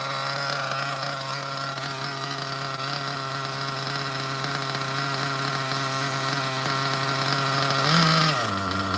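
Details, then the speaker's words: OFNA Ultra MBX nitro buggy with 2-speed and Hyper 21 Turbo engine; high buzzing idle holds perfectly steady, then a quick blip and drop back, idle called perfect tune. "Now that's an idle, baby. Look at how good that idle is on a Hyper 21. Can't beat that idle. Perfect tune."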